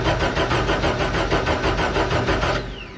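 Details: Rebuilt Deep Orange 9 engine, first start attempt after the rebuild: the starter churns steadily at about three beats a second for a few seconds with no firing, then drops out. It cranks but doesn't start; later attempts nearly ran.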